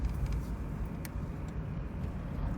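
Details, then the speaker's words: 1993 Toyota Previa DX minivan, pulling away slowly: a deep, rough, uneven low rumble from a bad exhaust leak. "you can hear that exhaust leak it's quite bad"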